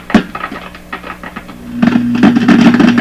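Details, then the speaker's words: 1929 Victor RE-45 radio, gone silent after capacitor changes, checked with a signal tracer on audio: irregular crackles and pops, then a steady hum. Crackle at the output of a tube, cause not found. "There it is. Okay, crackle on the output of this tube. Shouldn't be there, should it?"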